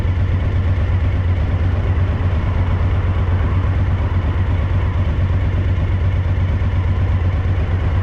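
Deep idle pulsing near three beats a second with a stumbling, uneven rhythm; one cylinder is dropping out, a misfire.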